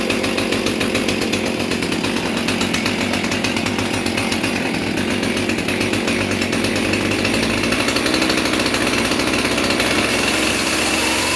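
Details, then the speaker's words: Husqvarna 450 Rancher chainsaw with a 20-inch chain, cold start while wearing in a new chain: it runs and revs with a rough, blubbery exhaust note, running extremely rich. "trying to wear in the chain and that is definitely running extremely rich"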